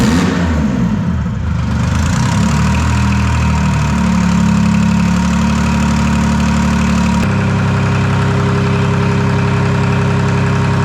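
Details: Detroit Diesel 3-53 two-stroke diesel, first start after 25 years idle and camshaft reversed to correct orientation: revs climb and settle into a firm, even idle with steady beat, no knocks or stumbles; warming to about 100–150 degrees, no exhaust fitted; running nicely.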